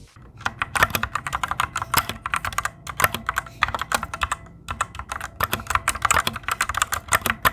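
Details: Fantech Maxfit61 60% keyboard: quick bursts of typing clatter with a thin metallic ring trailing keystrokes; the switch springs ping noticeably louder than on the owner's Cherry Reds.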